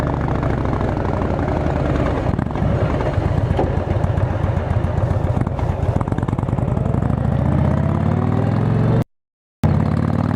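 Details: Motorcycle on a road test ride after replacing the failed exhaust gasket with a similar-thickness one: steady drone, smooth even exhaust pulses rising with speed, no ticking or puffing; exhaust leak fixed, note healthy, bike still awaiting tuning.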